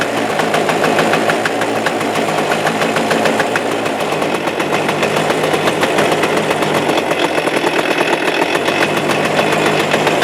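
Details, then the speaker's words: Suzuki Address 110 two-stroke engine, loosely sat in the frame with nothing bolted, starts first pull, and a fast, rattly tapping steady with speed rides over the exhaust beat at idle, unchanged, so the motor must come apart: points to a loose flywheel rotor. "Тарахтящий звук присутствует до сих пор, как видите. То есть ничего не поменялось, нужно все-таки разбирать мотор."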